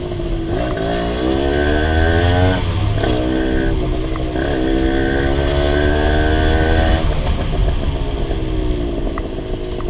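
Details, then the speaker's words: Rebuilt Honda LS125 two-stroke riding through the gears: revs rise and fall, uneven in the middle revs while low and high speed are fine; owner suspects carburation, and possibly gear ratio, behind the mid-range hesitation. "So I don't know if you can hear in the video, but when I open the throttle, so the low RPM or low speed it's okay, high speed is okay as well, but there is a problem the mid-range."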